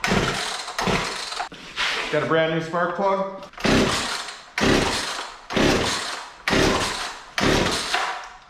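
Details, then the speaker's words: Poulan Pro P3416 34cc 16-inch chainsaw left in an abandoned building: repeated cord pulls about once a second, catches under a second then dies; new plug didn't help. "so what happened with this is it was running started dying out thought the plug fouled out on it new spark plug was put into it didn't resolve the issue"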